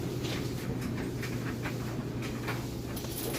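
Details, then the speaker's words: Whirlpool electric dryer on timed dry with a heavy load: steady low drum rumble with soft irregular thumps of the load tumbling, no scraping or squeal; nice smooth operation, normal dryer tumbling. "And let you get a listen to that. Sounds great. Nice smooth operation."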